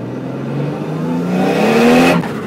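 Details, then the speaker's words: Nissan S14 with RB30DET turbo engine revving out under about 14 psi boost; wastegate (about 13–14 lb spring) fed manifold pressure only, boost controller hose disconnected at the solenoid; screamer pipe fitted; smooth rising pitch, no flutter or surge; turbo and wastegate working normally. "Oh yeah, now we're revving the bitch out. And it's got a screamer pipe, which is awesome."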